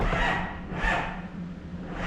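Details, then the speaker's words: Ford with two batteries, restarted after being killed while running off the alternator: slow, labored cranking about one heavy sweep a second, never catching; battery too weak to spin it over. "piece of there ain't enough juice in it now"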